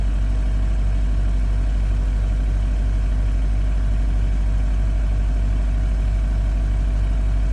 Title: Subaru STI cold start & engine knock